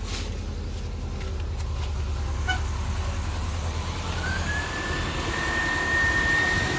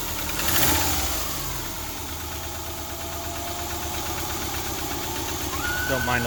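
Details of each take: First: 2000 Subaru Outback idling after adding engine restore, radiator stop leak and other additives; starts right up, steady even idle with faint whistle, no valve tap heard from top end: normal idle. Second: 2000 Subaru Outback, almost 200,000 miles, head gaskets replaced a year ago and suspected blown again; light fast ticking of about three per second over an uneven idle, valve lifter tap, before adding engine restore and other additives.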